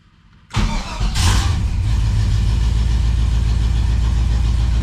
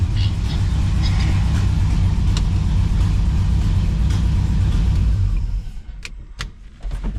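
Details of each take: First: 1978 Chevy Camaro drag car V8, after rewiring, battery relocation, new starter and fuel pump priming: short crank, catches at once and settles into a steady even low idle; normal start. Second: 1978 Chevy Camaro drag car V8 after rewiring, battery relocation and new starter, just fired up: heavy lumpy uneven rumble with sharp pops as revs drop; popping and banging from ignition timing being off, needs adjusting.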